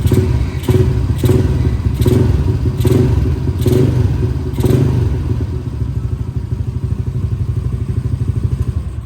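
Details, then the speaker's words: Up-spec 62 single-cylinder bike with JSM 1 cam, 3.0 valve springs, NSR racing carburetor with porting, 28mm Espada exhaust, air screw 1.5 turns: deep quick beat, throttle blips rising and settling cleanly to steady idle; responsive, easy starting, normal. "Respon pun okey, senang start, timing ada, alhamdulillah."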